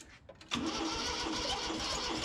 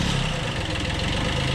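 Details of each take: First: 1991 Kubota B7100 HST diesel after fuel filter change: cranks and catches, then idle hunts unevenly as it sucks air into the fuel system; bled later via bleed screws. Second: 1991 Kubota B7100 HST diesel after fuel filter change, started on low throttle after glow plug heating: steady, even low-throttle chug with no knocks or misses; normal idle.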